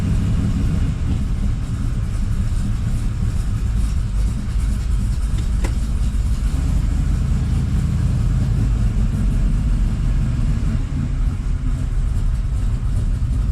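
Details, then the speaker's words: 1979 Camaro Z28 V8 test drive, heard inside the cabin, after swapping the Pete Jackson gear drive for an Edelbrock Performer double-roller timing chain set; owner suspects one rocker slightly loose. Steady engine drone under road rumble, no whine with speed. Normal running. "that is so quiet inside the car"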